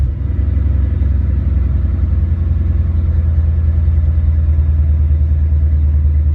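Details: Ford Mustang mass-air engine test run after A9P ECU repair/exchange: off high idle, settled into closed loop about 800-900 rpm; deep steady rumble, even pulse, no ticks, stumbles or surging; normal idle.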